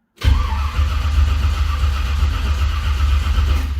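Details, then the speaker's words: 1978 Ford Courier with a new HEI ignition module and replaced connector, carb empty with no fuel: steady, even starter cranking with a low, regular churn and no clatter or grinding; engine turns over freely and sounds healthy. "But I'm super curious, do we turn over? Because remember, we changed all that connector too. Okay, it turns over and it sounds healthy."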